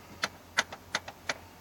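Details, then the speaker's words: Truck after a month and a half sitting, failing to start on cold start attempt: sharp clicks in pairs about three times a second, no engine running; repetitive ticking of unknown source. "I don't know if you can hear it okay it's gone now but it was just ticking at me and the lights strobe thing"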